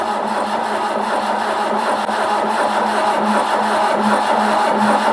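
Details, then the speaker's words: Mk1 Ford Capri 2.0 engine, freshly rebuilt and lubed, first turnover cranked without starting to prime oil to the top end: even rhythmic starter churn, no firing, grinding or clunks; normal cranking. "So yes, as I said, we're going to just turn it over just to get some oil around without it starting, so it doesn't burst into life and with no oil around the top end."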